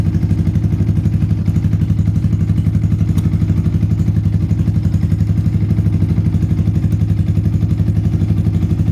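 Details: Yamaha Vixion (Xabre) single-cylinder after engine rebuild with new cylinder block and piston rings, valve clearance set exhaust 0.15, intake 0.10: steady, even idle at about four beats a second, no ticking or knocking; healthy, smooth engine.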